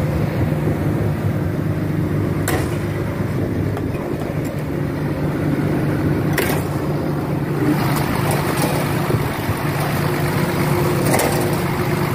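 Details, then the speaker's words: Caterpillar diesel machine engine that cranked but wouldn't start without starting fluid, after repaired injectors refitted: steady, low, even diesel rumble at idle, no misses or hunting; idles smoothly. "Bueno una vez reemplazado Los inyectores ya los los llevé a reparar los puse y vamos a los vamos a probar Bueno ahí está la máquina en marcha"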